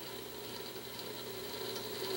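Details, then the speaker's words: Mid-1960s Magnavox AstroSonic console stereo turntable spinning. Faint steady rasping whir with a high ringing tone, from the idler wheel whose rubber is rock-hard and cracked. Turntable idler wheel noise. "you know that noise the rubber is hard as a rock and it's cracked"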